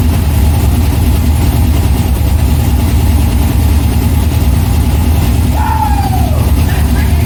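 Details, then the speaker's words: C6 Corvette with a junkyard V8 engine on a Terminator X controller, first start: deep, steady V8 burble with an even pulse and no knocks or misses; normal idle. "we just got her to run as you can tell as you can hear i'm super pumped i don't even know what to say right now"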